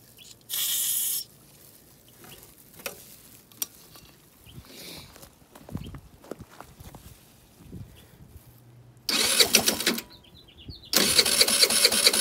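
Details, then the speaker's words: GY6 50cc scooter with new ignition coil and CDI, hotwired with battery, sprayed with carb cleaner: short cranking bursts with brief catches that die quickly; fires only on starting fluid, needs new tamperproof carb, fuel delivery fault. "hotwired the ignition put a battery in it and I got it to fire up just a little bit so let's see little carb cleaner"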